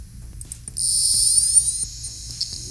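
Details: Old laptop 200 MB hard drive, powered on PC-3000 with the microphone beside the drive: soft click, thin high whine rising to a steady spin with light seek ticks; healthy spin-up, drive detected and data read.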